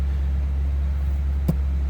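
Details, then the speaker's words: 1975 Cadillac Eldorado Convertible V8 with 47,932 original miles, in the same family since new, started up and idling. Smooth, steady low hum with one brief click and no misfire or tapping: healthy idle. "Confirmed because it's been in the same family since new. See how it fires right up."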